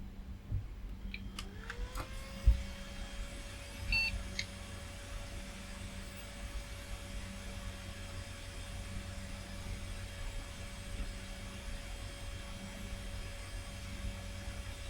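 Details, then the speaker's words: Old Fujitsu Siemens Pentium 4 flea-market PC, BIOS at defaults and unable to read the disc: the hard drive whirs up to a steady hum with no head-seek clicks, so the drive itself is likely dead. "I don't hear the head seeking so probably the drive itself is 40."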